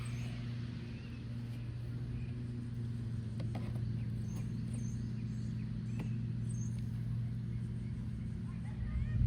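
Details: John Deere tractor that died previously, started after an oil change, before dropping the oil pan: smooth, even low hum at steady idle with no knocking or ticking; idling normally.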